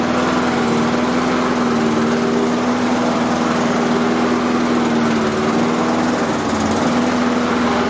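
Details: Self-propelled lawn mower test run after fitting a new blade; the old blade was worn and possibly of the wrong profile. Steady, even single-cylinder hum at constant speed with no knocks, rattles or scraping from the deck; runs smoothly.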